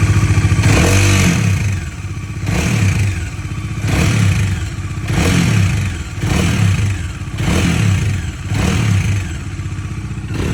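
A thumping engine with a metallic clatter that swells with each blip of the throttle, roughly every two seconds; the cause is unclear.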